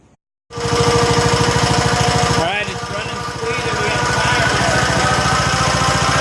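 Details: 1969 John Deere 140 H1 on a new carburetor, running after a cold start and long cranking: an even, steady stream of firing pulses with no misses or knocks, running quiet and smooth. Normal running.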